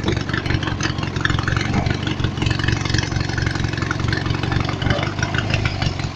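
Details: Small single-cylinder lawnmower engine driving an add-on alternator under electrical load holds a steady even beat with no bogging or speed sag; owner notes only slight, barely noticeable power loss, normal running under load.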